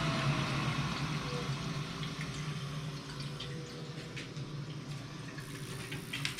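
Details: Lochinvar Shield SNR 126-065 commercial water heater after the leaking union above the circulating pump was repaired: steady low pump hum under soft trickling water, with no rattle, grinding or surging. The pump circulates normally and there are no leaks.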